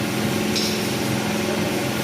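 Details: Bajaj Pulsar N150 after a workshop tappet adjustment (stated clearances 0.8 front, 0.10 rear) to cure an engine ticking noise: short, even idle with a smooth, steady beat and no ticking; normal idle after the fix.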